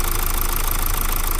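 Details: Mazda Skyactiv diesel just reassembled after coolant-pushing repair, first start after air bleeding, oil just circulating in newly assembled engine: steady even clatter and smooth low rumble at idle, no misses or heavy knocks; runs normally.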